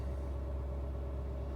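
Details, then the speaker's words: Ford 6.7 Powerstroke diesel pickup idling a touch high with boost lifting slightly: deep, steady rumble. This is normal catalyst warm-up to stop the DPF and catalyst gumming up, not a regen. It lasts about 30-45 minutes. "And all the truck is doing right now is maintaining the catalyst operating temperature so it doesn't gum up and damage the DPF and the catalyst."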